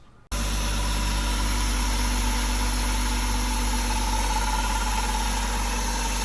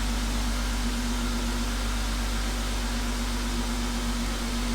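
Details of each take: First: BMW E36 before repair: at idle a faint rough, grindy whirr seems to come from the front or middle of the engine. Alternator pulleys ruled out; owner suspects the water pump, which was then replaced with the thermostat. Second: BMW E36 idling after replacing the water pump, thermostat and housing, coolant refilled while air bleeds out: a smooth, even idle with a steady low hum and no whine, rattle or grind from the pump. Normal idle.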